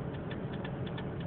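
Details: Turn signal blinker that keeps ticking quickly several times a second nonstop, even when switched off. The blinker is broken and the cause has not been found.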